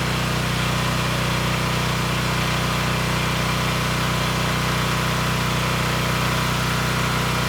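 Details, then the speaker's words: DuroStar DS7200 diesel generator, 10HP 418cc Yanmar-clone engine, failed stator, test run on electric start with decompression and oil checked: steady, even diesel clatter at constant fast idle, no knocks or misses. Engine runs healthy; normal idle. "I do want to start the engine, just make sure that it does still run and that it sounds healthy."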